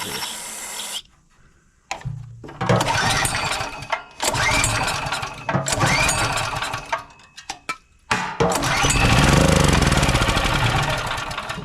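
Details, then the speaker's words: Generac GP3250 generator unused for a couple of years with a dry tank: the engine catches in short ragged bursts only on starting spray or carb cleaner in the intake, then dies each time, so the carburetor is not supplying fuel. "it wants to start on the starting foot as long as you can get it to start there on the starting foot you know your problem is you're not getting fuel"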